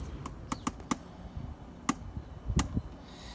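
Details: BMW E90 3 Series handbrake during adjustment, previously about ten clicks: six sharp ratchet clicks as lever comes up, still too much travel; shoes tightened further toward target of four clicks.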